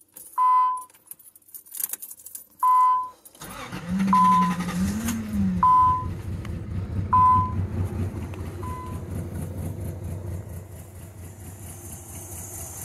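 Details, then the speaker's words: Nissan Z31 that wouldn't run, started after plug lead fixes with old bad fuel: door chimes, then a lumpy, stumbling idle. Misfire suspected from fouled plugs or possibly a stuck injector, not confirmed. "got a bit of a misfire but it could be that those plugs are fouled out from just trying to run it so maybe if it runs a little bit it'll start running better"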